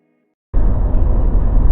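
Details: Mazda BT50 pickup after the clunking, grinding, cracking fix (following cross joint and center bearing replacement): a steady low rumble of road and drivetrain with no clunks, grinding or cracking; the truck drives quietly.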